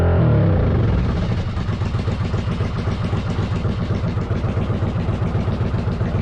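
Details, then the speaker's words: 1995 Yamaha Virago 1100 after EGR valve work: slow, lumpy idle running a little low with a sharp puffing tick on each firing, about four a second; leak at the front exhaust, wrong spark plugs also to be replaced. "bad got to fix an exhaust leak on the front exhaust"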